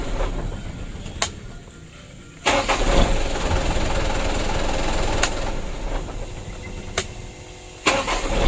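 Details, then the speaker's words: Mitsubishi Canter 136 PS HDL diesel truck with a hard-start, rough-running complaint and diesel getting into the engine oil, after injection pump plunger work: short crank, then it catches at once and settles into a steady, even idle. "Alhamdulillah untuk hidupnya sudah lumayan bagus ya tidak sulit"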